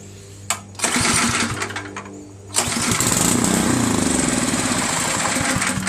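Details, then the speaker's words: Snotek by Ariens 20-inch two-stage snowblower, 136cc LCT engine with stale gas, panel off for carburetor access: spark confirmed, but it runs only on a shot of starting fluid. A brief sputter dies, then a rough chug at about four beats a second. Carburetor gummed up. "Alright, so now we know we get spark, we know the magneto's good, and all we know is that it only goes with a shot of fluid in there."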